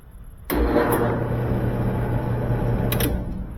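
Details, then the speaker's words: Used dryer at start: sudden steady low hum with rumbling drum, drive motor labored; owner reports it tumbles a few minutes then quits, and the motor is judged shot, to be replaced with a tested used motor. "you can hear that hum now it'll tumble for a few minutes she said and it it would quit and she'd have to wait and do it all all over again"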